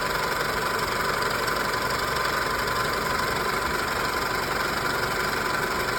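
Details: 2000 Toyota Camry idling with the original AC compressor engaged and still blowing cold air: a thin, high, steadily pulsing squeak over the engine hum. Cause not identified.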